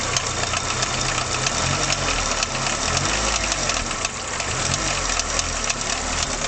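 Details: Mk2 VW Golf 1.3 carburettor engine at idle: rough, noisy idle with an uneven, rattly knock; source unclear; engine knock.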